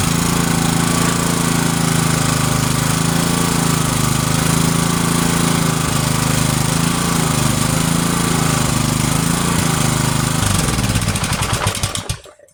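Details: Yard-sale pressure washer engine with refitted carburetor, choke on, no air filter, not yet hooked to water: it chugs at a steady fast beat, then fades and dies within seconds; it runs only on starting fluid, then stalls.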